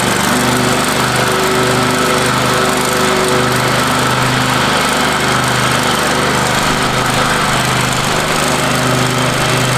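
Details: Free Craftsman riding mower after power wash, deck lowered, mowing a yard; steady even drone under mowing load, no misses, surging or knocks, owner says running sweet and smooth; normal running while mowing.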